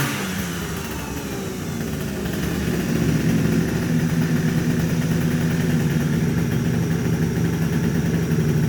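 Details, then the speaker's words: Two-stroke scooter with MVT Millennium ignition after fixing no-start and misfire: parts cleaned and bared wires insulated. Revs climb smoothly to a steady buzz with no stumbles or popping, firing cleanly; problem appears solved. "howard k robin le problème a l'air d'être réglé vous voulez avant un possible à démarrer"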